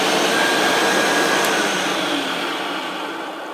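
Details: Hoover Junior U1012 vacuum after full refurb with motor removed, cleaned and suppressor removed and rewired: smooth, even high-pitched motor whine with steady airflow rush, no rattles or surging; motor sounds healthy.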